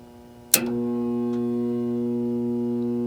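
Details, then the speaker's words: Indoor AC blower on a no-cooling call: 104 V measured on the cool lead versus 120 V on the other, drawing 8 amps. A click, then a steady low hum with no spin-up. The blower motor hums but fails to start. "let's test to make sure we got voltage running to the fan which i know we do because the fan tries to start"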